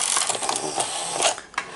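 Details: Zenith-branded Sony SL-2500 Betamax VCR with 711D chassis, working unit being serviced: quick series of clicks and whirring clatter as the cassette carriage lifts and ejects, smooth and unhesitating; eject mechanism working normally.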